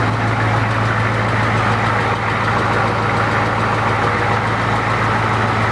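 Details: 1992 7.3 IDI naturally aspirated rebuilt diesel, first start: steady low idle with a hard, even clatter on each firing stroke. Injector knock, which disappeared after installing new E-rated injectors.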